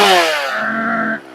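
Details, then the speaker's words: Chainsaw screaming at wide-open throttle out of the wood with a slight burble on top: four-stroking, indicating a correct, safe rich high-speed tune. "that's that burbling on the top I'm talking about the four stroking"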